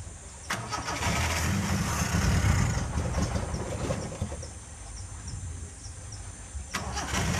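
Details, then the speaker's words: Zebra 1.3 carburetor engine that is hard to start and dies at low throttle: cranks and catches on choke, then an unsteady, lumpy low idle that wants to die; dirty carburetor jets suspected, cleaned afterward. "suara ini terjadi keluhan kalau gas kecil mati Lur ya dan hidupnya juga susah ya"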